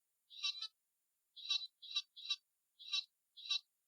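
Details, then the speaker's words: Build-A-Bear recordable voice box after cleaning corroded battery terminals, on bench supply: thin tinny voice playback chopped into bursts with dead gaps as supply hits current limit. "ah sweet so it's working but I'm hitting the limit of the current so it's dropping out so I'm going to have to increase the current"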